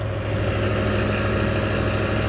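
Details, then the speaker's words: 1994 full-size Ford Bronco V8 idling with factory exhaust, before inspection: deep, steady V8 burble, smooth with no misses or ticks; sounds like a typical work truck. "Sounds like your typical boring work truck now. It's alright with me. It still sounds like a V8, it's just not"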